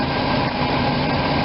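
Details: RV V8 idling after new plugs and wires; cylinder #8 boot previously not fully seated, arcing on air cleaner with clicking and misfires. Now smooth, even idle, steady low rumble, no misses or ticking; healthy after fix.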